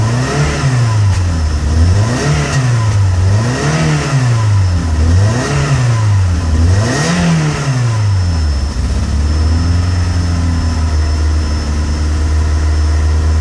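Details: Peugeot 106 GTi, cold engine: repeated blips up and down then a slightly uneven idle; misfires and cuts out when cold unless revs are kept up, clears near 5k rpm and once warm; new temp sensor fitted, began after a harsh downshift.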